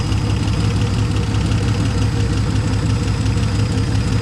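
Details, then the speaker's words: 1970 Dodge Challenger slant six idling just after its first start, with new plugs, old wires, the carburetor hooked up and a temporary fuel pump. A steady, even low rumble with no stumbling or misses; the fan is slightly wobbly and the engine is idling surprisingly well. "Fan's a little wobbly. We don't worry about that. Surprised it started up and started idling that well."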